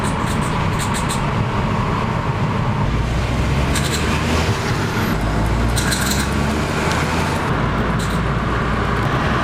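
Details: Vauxhall/Opel 1.0i Turbo 115PS petrol pulling at low speed: short bursts of sharp metallic pinging over engine and road drone, low-speed pre-ignition (LSPI) knock that later cracked pistons; engine eventually replaced.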